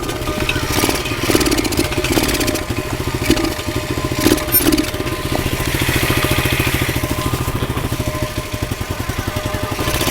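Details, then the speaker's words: Single-cylinder pit bike with duct-tape and cloth muffler packing, missing some engine mounting bolts: sputters and revs unevenly with a rattly, ragged exhaust beat; owner suspects motor vibration from missing bolts, unconfirmed. "I was getting a sound from my motor I'm pretty sure it's the motor vibrating it's missing a few bolts so it sounds kind of funky"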